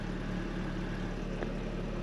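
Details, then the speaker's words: Mercedes W202, bought stuck in limp mode (wouldn't exceed 30 mph) but starting fine: quiet, even idle hum with a steady low rumble and no ticks or stumbles; the engine idles perfectly. "I mean it idles perfectly"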